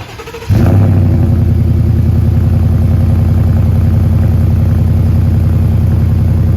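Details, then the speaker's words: Ford F150 5.0 Coyote V8 after replacing the holed stock exhaust with a Flowmaster 3-inch resonator delete: deep, even burble catching cleanly at start, settling into a steady rumbling idle; healthy exhaust, no leaks or rattles. "That sounds so much better, but there's one thing I've forgotten."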